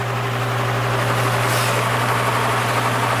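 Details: Repaired spare plastic Marco motor with blade from vintage Lasko/Galaxy box fan on low speed (red wire): steady low mains hum with smooth airy whoosh, no rattle or scrape; the usual hum of these plastic motors; about 1 A, 80-82 W; normal running.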